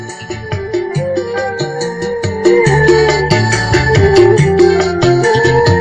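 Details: Keyboard amp with OCL 150 W power board, after hoarse sound fixed by replacing BD139/BD140 drivers with MJE340/MJE350 and 47µF 25V caps with 50V: organ notes full and clear, no rasp or distortion.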